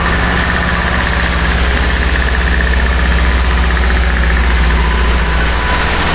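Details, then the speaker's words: 1976 BMW 2002 (automatic), first start in years after restoration, no coolant in it: fast steady idle with even exhaust beat and faint hiss, runs smoothly but idles high; owner suspects many vacuum leaks. "Lots of vacuum leaks everywhere you look, so that's why it's running so high."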